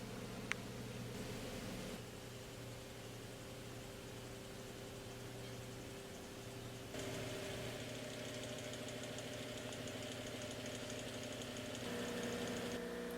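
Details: Old tiller that pulled with no compression (owner suspected blown rings), then unexpectedly started and has sat unused since: small single-cylinder engine with an uneven, lumpy beat and faint knock, pitch stepping up midway. Rough running after storage; cause unconfirmed.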